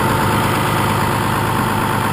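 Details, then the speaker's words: 6.2L Cummins diesel with exhaust brake fitted: steady, even diesel clatter idling slightly high, guessed at about 1000 rpm with no tachometer. No misses or knocks. High idle speed. "I don't know how well you can hear me talking over the motor but it's pretty loud and it's idling just a little bit high I don't have a tachometer but I'm guessing it's probably right around a thousand rpms where it's idling"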